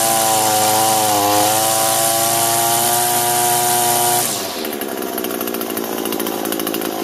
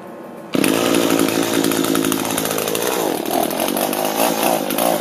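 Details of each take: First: Echo two-stroke gas trimmer after replacing the lower gear head unit and filling it with lube: revs up and back down cleanly with steady engine note and no rattle from the head at any speed; previous shaft-bottom rattle fixed. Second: Echo gas string trimmer running: a steady high buzz with a loose metallic rattle from the bottom of the shaft while the head doesn't turn; drive shaft not engaging.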